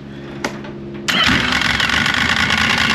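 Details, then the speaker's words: 2005 Yamaha Vector snowmobile, stock primary clutch before fitting Yamaha's factory repair kit, cover on: engine settles into fast tinny metallic rattle over idle, a known factory clutch noise. Primary clutch rattle. "hear that rattling that's what rattles so let's let's listen to it now with the cover on"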